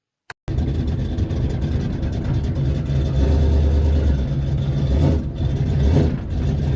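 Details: AMC 360 cubic inch V8 turbo Jeep driving on the road: strong, even rumble rising and falling with throttle, no knocks, misses or whine; smells rich and of ATF, but engine sounds healthy.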